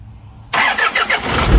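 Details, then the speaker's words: Isuzu 4HL1 turbo diesel truck with intermittent no-start (trouble code on revving, then would not restart), after fitting new cam and crank sensors: engine fires on one click and settles into a rising rumble; normal quick start, even after revving. "One click at try natin i-revolution tapos patayin ulit. Tapos start At yun lang mga boss ah one click na."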